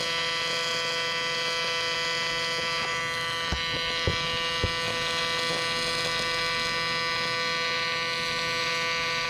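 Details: Miller Dynasty 300DX AC TIG welding aluminum during practice: steady, even arc buzz with only a couple of brief clicks; normal AC aluminum weld.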